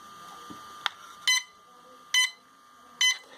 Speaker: now you can see because of this IMU, because during the crash it was actually damaged. Okay, that's why you're getting this beeping noise.